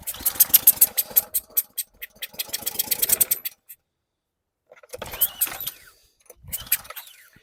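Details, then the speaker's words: 2020 Ryobi RY802900 pressure washer, 2900 PSI, Ducar engine, left sitting outside: rapid ragged firing pops for a few seconds then silence, short sputters on later pulls; fires briefly then stalls, owner suspects it needs back pressure. "Okay. Did you hear that? Uh-oh. It kicked off."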